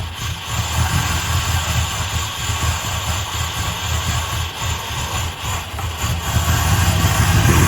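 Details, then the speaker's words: 1965 Plymouth Satellite V8 just fitted with an Edelbrock 800 cfm AVS2 carb (replacing a 1407 750 cfm), no choke, mixture screws 1.5 turns out: loud, lumpy, rough idle with uneven low rumble, from a big vacuum leak at an unplugged port on the back of the carb. "yeah that sounded like a massive early you know vacuum leak wasn't the uh intake it's the back of these carbs they got a massive hole in the back right i forgot didn't have a plug in it"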